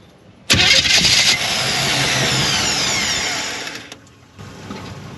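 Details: Cheap Chevrolet squarebody truck with no gas, cranked from under the hood on a jump pack: strong even whirr for about three seconds, no grinding or clicking, engine doesn't catch; starter turns it over fine.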